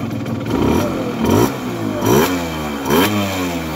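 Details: Tuned Simson S60/4 12V two-stroke motorcycle, 60cc four-port: crisp blips rising and falling cleanly about four times, back to steady idle; healthy, responsive engine, normal revving.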